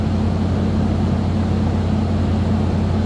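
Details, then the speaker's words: 1988 Chevrolet Monte Carlo SS V8, 95,707 miles, on cold start at high idle: deep, steady rumble with a slightly raspy, puffing edge suggesting a small exhaust leak, unconfirmed. "you can hear it sounds like a little bit of exhaust leak just to give you the heads up"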